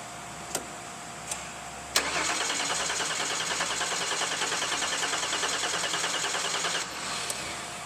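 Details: Vehicle with replaced starter, pedal floored in clear-flood mode: engine cranked about five seconds at a steady, slow pulse of roughly three per second; sluggish cranking, battery cables being tested as possible cause.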